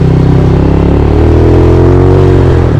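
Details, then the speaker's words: GY6 scooter (150cc or 50cc) after electric fuel pump install replacing vacuum pump, 120 main jet; engine pulls up smoothly with steadily rising pitch, no bogging or hesitation under throttle. Normal acceleration. "Oh, great. Yeah, no bogging issues at all."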